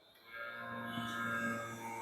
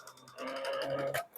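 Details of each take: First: VHS/VCR rewinder unused for a long time: steady electrical hum but no reels turning, as the hardened belt jams and stalls the motor; fix is pressing forward/rewind and tapping the unit until it runs. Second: VHS/VCR rewinder after the jammed belt was freed by pressing rewind and tapping the unit: small motor whirs steadily with a light ticking spin, no dragging or stalling; now running correctly.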